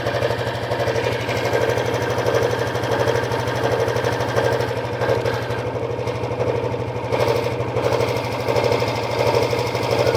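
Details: Honda Biz 125 EX, about 2,900 km and three months old, oil changed on schedule: small single idles steadily with a fast, light scraping tick that comes and goes, like something catching; the source is unidentified.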